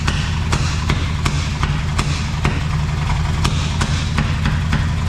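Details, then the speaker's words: 1971 Chevy K-20 small-block 350 V8 after 15 years sitting, vacuum ports plugged, starter fluid used: rough lumpy idle with sharp irregular pops about three a second, backfiring; owner suspects burnt valve, actually plug wires out of firing order. "okay it runs it runs she's backfiring though like it's got a burnt valve"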